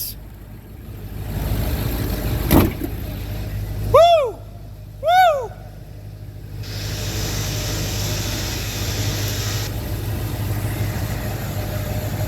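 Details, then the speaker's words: 2004 Ford F350 6.0 diesel, first start after replacing worn seals, O-rings and standpipe: deep steady rumble with a short rev settling smoothly, no knock or miss; running better than ever, best it has sounded in a long time. "He's running amazing. Better than ever. Love it. Oh yeah. Best I've heard it sound in a long time."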